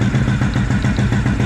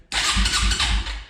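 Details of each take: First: 2004 Suzuki LTZ250 single-cylinder quad after unplugging a blocked carburettor vent that was starving it, throttle adjustment set very high, still smoking: steady even thump at fast idle, no stumbles or surging; normal high idle. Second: 2004 Suzuki LTZ250 quad, project bought cheap, after reattaching something barely hanging on, fuel tap off, lights not working: starter whirs and engine turns over at three to four compression pulses a second but never catches; cranks, no start.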